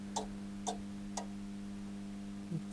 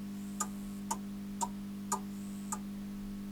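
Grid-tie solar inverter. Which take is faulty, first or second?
first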